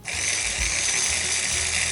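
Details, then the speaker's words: Vintage Sunbeam MMA mixer after speed calibration, near dial setting 1: a steady, even high whir with a soft thump about four times per second and no smell from the resistor. Normal slow-speed running. "And immediately, even though it's not exactly at 1, it's going about 4 times per second. So I'm comfortable with that."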